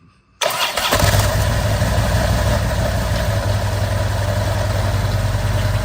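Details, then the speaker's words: Harley-Davidson, possibly a 2010, with a new but chattering clutch; the engine fires into a lumpy idle with a rough grinding undertone from the clutch; a failed bearing is confirmed by side-by-side comparison. "off up yeah that's a bearing that is definitely cuz again you could definitely hear the difference once you did it side by side"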